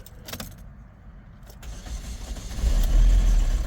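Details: 2015 Chevy Equinox Ecotec, towed in with a dead battery, run low on oil: cranks and catches, then rough rumbling running with a dull beat near 200 a minute; charging works but the engine is damaged from oil starvation.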